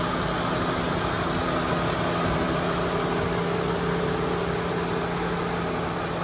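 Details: Chevy Malibu V6 ex-AT&T fleet car bought at Copart, hood open, oil shows no coolant intrusion: steady even idle with smooth low hum, no knocks, misses or ticks; runs great.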